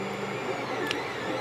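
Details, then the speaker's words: Creality CR-10S 3D printer printing on bare legs without foam dampeners: steady whining stepper tones shifting with each move over constant hum, frame resonating loudly. "this is without the foam insulation underneath"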